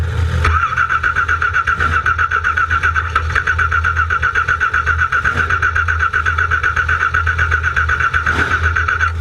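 Steady starter whir with quick, even cranking pulses that continue the whole time; the engine never catches, so it cranks but won't start.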